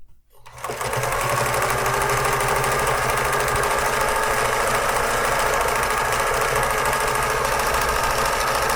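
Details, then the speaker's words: Vintage thrift-store Pfaff 360 sewing machine on a decorative zigzag stitch test: steady rapid chatter of the needle mechanism at an even pace, no surging; seems slower than full speed, though unsure whether it should be faster. "so again I don't know if that should be faster than that but that doesn't seem like a full speed"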